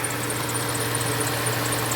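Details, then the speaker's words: 2005 Kia Sedona, warmed up, idling with AC off: fast shrill chirp about seven a second over steady idle; owner first blamed the belt, cause unconfirmed. "The squeaking is due to the squeaking is due to the belt."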